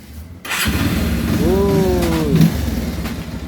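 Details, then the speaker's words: Kawasaki Rouser 180 motorcycle after engine overhaul and transmission reassembly, first start: wavering helicopter-like whirr rising and falling over idle; worn clutch housing with excess play, needs replacement. "Ngayon, meron ka narinig na parang helicopter sound. Ayan mga bro, ay clutch housing. Yun na lang ang pinaka problema ng motor na ito."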